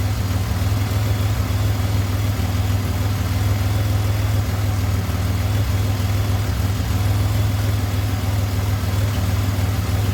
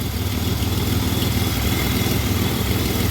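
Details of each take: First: 2007 Pontiac Grand Prix V6 idling after valve seal failure repair with reman heads and stainless valves: steady even low rumble, lifters or rockers slightly noisy, coolant temperature normal with 180 thermostat; normal idle. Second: 2007 Pontiac Grand Prix V6 with reman heads idles warm, coolant about 181°F with a 180 thermostat, 66°F outside, showing a steady puffing tick about three a second over the low rumble from an exhaust leak.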